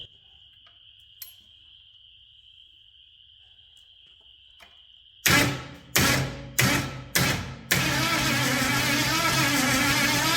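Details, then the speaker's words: Ford 460 big-block V8 pulled from an RV, formerly rust-seized, carburetors swapped, Excel super coil fitted: several short starter bursts then one long even crank, turning freely but never firing. Spark was present earlier, now none at all. "Well, what I'm finding, even though I did have spark earlier when I was uh changing the carburetors out, I checked it then. Um I got no spark now. Nothing whatsoever."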